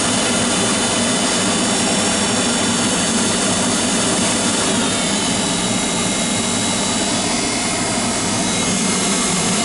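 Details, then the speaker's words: GAZelle heater blower motor after reassembly, no quieter: constant loud whirring buzz at steady speed; owner says noise comes from the commutator where brushes ride, plans to clean the commutator. "вы знаете вот шум идет как раз таки вот с этого коллектора по которым щетки ходят жужжит"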